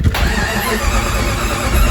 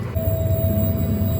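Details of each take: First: 1997 Jeep Grand Cherokee with the automatic shutdown and fuel pump relays bypassed by jumpers and the fuel pump running: steady starter cranking at about three turns a second over two long tries, and the engine never catches; cranks, no start. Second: 1997 Jeep Grand Cherokee with no-start: fuel pump heard running at the rear after jumpering the automatic shutdown and fuel pump relays; faint steady hum — pump works normally, but the no-start persists.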